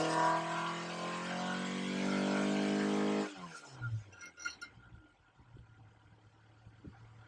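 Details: Ford Crossflow engine on a dyno with twin 40 DCOE carbs, Kent 224 cam, Vulcan head, testing 39 vs 55mm ram pipe lengths; pitch rises smoothly under full load about three seconds, then throttle snaps shut to quiet; healthy pull.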